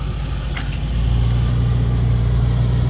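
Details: 1972 Ford Mustang Sprint, 302 V8 with new exhaust, heard from outside: deep steady low burble with even rumble, no misses or knocks; idles smoothly through its exhaust.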